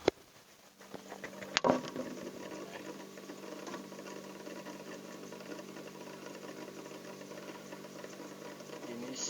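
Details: Refrigerator compressor after flushing oil out of the vacuum/condenser line: after a click it settles into a quiet, even hum, the earlier noise gone, running smoothly; filter and condenser warm, not clogged.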